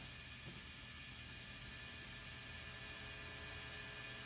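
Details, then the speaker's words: Fender Deluxe Reverb reissue FSR tube amp after new filter pack board, two superfluous parts removed and microphonic preamp tube addressed; volume at 10, reverb up: constant low hum under steady hiss, "not the noisiest"; suspected grid/plate wiring routing, unconfirmed. "It's not the noisiest."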